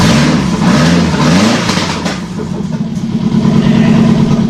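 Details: Early-90s Nissan SR20DE engine on a test stand, first start: fast light top-end ticking over steady idle, tappy lifters; owner suspects old oil and plans to remove and clean the lifters.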